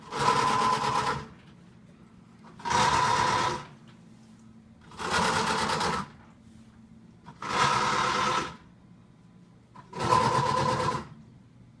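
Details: Brand-new Samsung WA45H7200AP/A2 washer on its first wash cycle: harsh, blender-like grinding from the bottom in one-second bursts about every two and a half seconds as it tries to spin; it won't wash.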